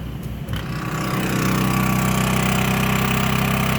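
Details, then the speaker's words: Champion 3100 dual-fuel inverter generator, air conditioner already running, as the microwave is switched on. Quiet idle climbs over about a second to a higher steady hum; the engine speeds up normally for the added load. "Microwave's on. Got a cup of water in there. Sounds like the generator kicked up a little bit."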